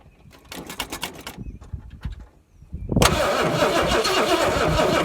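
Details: 1970 or 1971 Ford Torino GT 429 V8 that sat about 15 years, now with a rebuilt original carb; cranks a few seconds, fires at once and holds a steady, even idle; normal start and idle.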